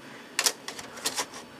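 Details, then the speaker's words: Packard Bell Legend 204CD 486 computer: a few light clicks and clunks with no disc spin-up; the CD-ROM drive acts empty with discs inserted, not reading, cause unclear; worked a couple of months ago, owner expects to replace it. "I wonder if we have a problem with our cd-rom drive as I'm putting discs in it and it's acting like it's empty"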